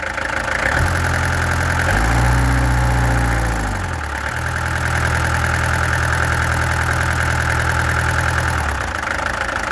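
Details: Peugeot XD2 diesel engine idling with an uneven, stumbling beat near four a second, briefly surging with throttle; owner suspects a misfire, and the injectors were then removed, tested and adjusted. Cause unconfirmed.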